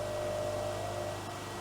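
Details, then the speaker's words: Lathe tool chatter while a fine radius relief cutter roughs a titanium tweezer cap: a wavering mid-pitched ring sings over the cutting noise for about a second, then dies away. "Well, that sounds healthy. Yeah, so that was chatter."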